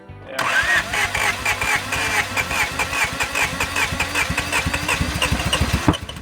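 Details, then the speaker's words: 1987 Acura Integra project, first start attempt after replacing injectors: starter cranks evenly, quickening, then a sharp pop without catching; ignition timing keeps drifting off because the distributor keeps sliding. "Alright, so the problem, one of the problems is the timing keeps on getting far off because the distributor keeps on sliding."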